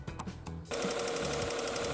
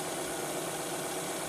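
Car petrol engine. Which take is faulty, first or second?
first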